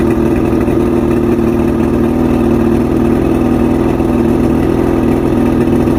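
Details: Outboard, fully rebuilt with all-new electronics after three weeks chasing rough idle, surging and misfires: smooth, even idle with a steady buzzing note, no stumbles, surging or misses; fixed.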